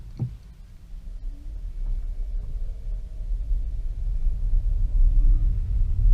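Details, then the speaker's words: 2015 Nissan Leaf 684 miles after fixing a front-axle click by lubricating the stub axle and securing the hub nut; in regen mode on a wet, muddy road, only smooth road rumble under acceleration and deceleration: normal front driveshaft, no click. "now this is a hideously muddy road so and it's also wet so you can't get complete silence on the road surface but i hope you can tell that it's not doing what it was doing before in terms of that click as we were accelerating and decelerating"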